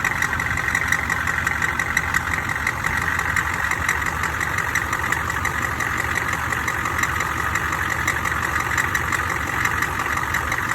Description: Sounding like a cracked flexplate or crank bolts coming loose.